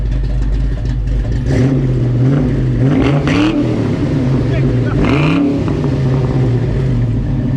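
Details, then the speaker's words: Fox-body Mustang convertible with a swapped 306 V8, idle after the timing was set to 10 degrees with 40 psi fuel pressure; the timing problem was traced to the TFI module and the TPS was replaced. Deep, steady burble, clean blips, smooth idle. "well now we're at 10 degrees and 40 pounds of fuel pressure it's actually running pretty good so i'm gonna start it up and let you listen to the idle now"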